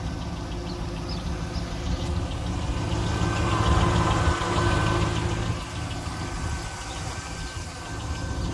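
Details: One-owner 2001 SS LS1 V8, 109k original miles, manual, engine never opened, sounded like this since purchase: light even ticking about three per second over steady idle; valvetrain tick, lifter or normal unknown.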